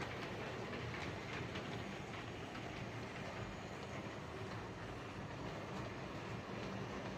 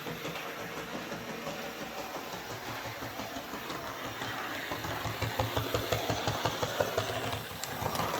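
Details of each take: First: Hornby 08 shunter model locomotive on the layout after repair (connecting rods bent slightly to clear the brakes, cleaned and lubricated): quiet, even rolling hum with no rhythmic click per wheel turn; clicking fixed, running fine. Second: Hornby 08 Shunter on test track after repair for motor spinning without wheels turning: small drive whirs with a regular clicking thump, about three a second, from a big piece of fluff caught in the worm gear.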